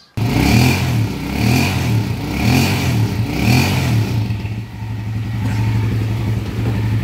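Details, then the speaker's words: Pinoy 155 single-cylinder motorcycle after repair with new cambio (gearbox) fitted, previously very noisy like a rock crusher; now blipped several times, revs rise and fall cleanly, no grinding or knocking, steady even idle. "and after mga bossing. Ayun na yung andar niya, smooth na ulit."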